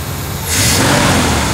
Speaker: The turbo's back! I think maybe it must have just got hot or something yesterday.